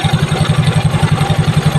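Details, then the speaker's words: Yamaha Mio Soul i scooter after tensioner replacement: engine idling evenly with a soft, steady low putter, earlier slapping clatter from the faulty tensioner now gone; normal idle. "na napakatahimik na wala ng ingay na lagapak okay mga kabilog all goods na to"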